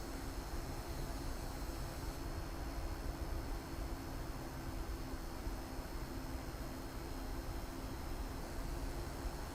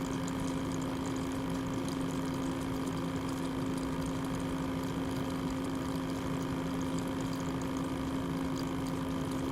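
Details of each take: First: be quiet! Dark Rock Elite CPU air cooler under 3DMark stress load: soft, even whoosh of air with a faint steady hum and no rattle or ticking; normal fan noise under load. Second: Loud, highly unpleasant constant pump whir with a strong fixed hum around 250 Hz from the water-cooling pump under 3DMark and Cinebench load; possibly a defective unit, cause unknown.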